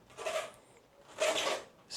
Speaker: It's on full lock, and that wheel wants to turn at a different speed to the other wheels. Obviously, if I straighten the steering out, the squeaking stops.